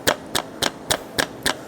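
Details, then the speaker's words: Nissan Almera heard under the car: seven sharp evenly spaced metallic knocks, about four a second, from a worn steering rack centre shaft, which is felt as vibration by hand. The lower arm bushes are also broken. "Okey macam ni bunyi dia. Dengar tak tu? Bunyi ketukan. Bunyi ketukan ni bukan daripada sini, daripada shaf tengah stering re ni."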